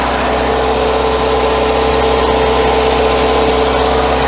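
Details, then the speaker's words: Classic VW Scirocco with a carburetor, first start after sitting a year, choke out, airbox off, still warming up; the engine settles into a steady, even idle with a smooth hum and no knocks, misses or rattles. Normal idle. "Okay, choke out. Cool down unit is working. We'll put the airbox back together in a second, but we still let it free breathe for a second. No horrible noises."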